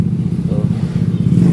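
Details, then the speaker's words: Yamaha Aerox scooter, won't start after recent engine rebuild, error code 12 shown: rapid regular "cetek cetek" clatter, engine not turning over; mechanic says starter/stator seems held back by the engine, magnet stiff; cause not confirmed. "enggak bisa ya enggak bisa si stator dia apa E mau gerak cuman seperti tertahan oleh mesin ya"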